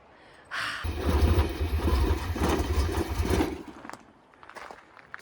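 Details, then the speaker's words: Camper van that barely starts: the engine catches after a short crank, runs lumpy for about three seconds, then stumbles and dies. The owners suspect the fuel pump or a vacuum hose; hard starting, rough running. "so we just went and talked to the camp host because the van as you just heard is poorly starting"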